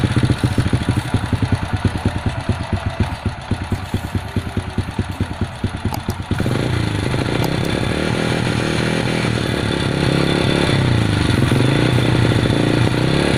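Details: Honda Supra underbone single-cylinder motorcycle that previously would not start: it pops at first, then settles into a smooth, even idle with no misses, running properly.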